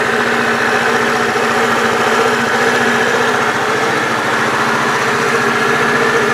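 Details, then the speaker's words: Bashan BWS 2 two-stroke scooter after crankshaft repair (worn lower con-rod bearing cage) and engine reinstallation: even idle with a steady buzz, no knocking or tapping from the bottom end; fault fixed. "Итак ребята Как слышали никаких посторонних звуков стуков из двигателя уже не доносится"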